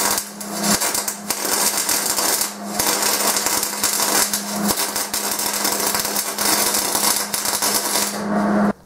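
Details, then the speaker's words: MIG welding with wire feed speed set too slow: uneven, hissy arc crackle with brief dropouts over a low hum, producing a thin, bulbous, splotchy bead. "we have the complete opposite that's a real slow wire feed speed you see how the bead is very like bulbous looking it's thin and it's splotchy that's because there is not enough wire feed speed"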